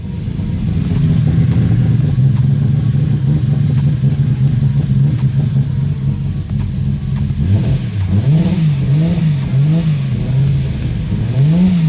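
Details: 1995 240SX with a freshly built 1.5JZ (2JZ-GE non-VVTi block, BC272 cams, Precision 6466 turbo), first start: settles into a deep, even idle and answers quick throttle blips cleanly with no knocks or misses.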